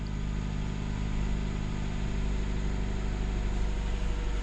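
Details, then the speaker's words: 2017 Jeep Cherokee Trailhawk 2.4, 89k miles, idling after a replacement alternator was fitted following a battery light and stranding. Steady, even low hum with no ticks, whines or knocks. No odd noises, charging at 14.4–14.5 V: normal idle. "Cool, I wanna start it up and listen for any odd noises. No odd noises."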